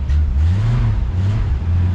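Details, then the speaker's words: Old carbureted Ford Maverick with a stubborn carburetor: deep rumble rises and sags unevenly as throttle opens, brief stumble before pulling; a dead spot off idle at first. "Has a little bit of a dead spot there at first."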